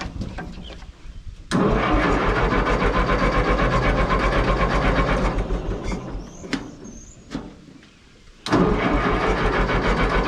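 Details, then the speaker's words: Minneapolis Moline GTB tractor cranking, no start: two long spells of steady cranking at about four turns a second, never fires; no spark because the temporary ignition coil came unplugged. "I see what happened. That's my problem. My temporary coil come unplugged. That'll do it every time."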